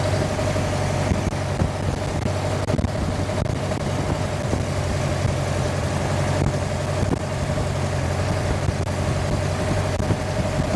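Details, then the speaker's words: Sonex aircraft AeroVee Turbo engine, first-ever start: low, steady engine drone that wavers slightly with an uneven pulse underneath; running pretty good but a little rough at idle. "It was running pretty good. Uh it seemed like it was a little bit rough at idle."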